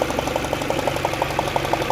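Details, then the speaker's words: Peugeot 307 CC 2.0 16-valve petrol at idle, no engine warning light, before repair: a fast, even puffing tick about six per second as compression escapes past a loose spark plug under the 4-in-1 coil pack. "voilà on a un petit bruit de perdre de compression comme vous pouvez l'entendre"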